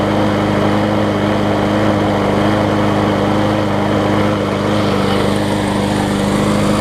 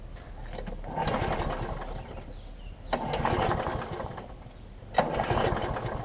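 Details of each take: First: John Deere JS63C walk-behind mower, a free pickup, running again after a new flywheel key was fitted: steady, even engine drone at constant speed with no stumbling or surging, running smooth and healthy. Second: John Deere JS63C mower, first start with fresh gas, before repair: it runs rough and fast, surging about every two seconds. The cause is a slightly sheared flywheel key throwing the ignition timing off; the owner first thought it might need carburetor cleaner or simply running.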